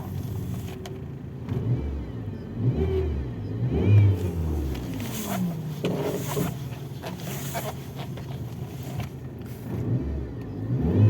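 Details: Power steering pump hums and whines loudly since the frosts began, and the return hose split, with the steering binding and stiff; the engine revs with a wavering whine over a low hum; later fixed by fitting a Volga/Gazelle reservoir.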